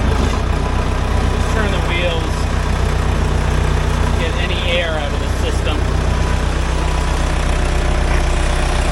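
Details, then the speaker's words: 1975 Case 580B backhoe freshly serviced with a new filter, air bled from the system: a steady, even diesel idle with a low, smooth beat and no whining, normal running. "and this thing sounds good you know it's not bitching like it was"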